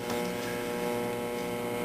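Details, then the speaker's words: Zenith Trans Oceanic Royal 3000-1 radio after repair and reassembly, during band checks: steady low buzz with thin whine through the speaker, no program audio; power supply hum coupling into the set. "jesus i can hear the power supply and this thing buzzing through the speaker so much coupling"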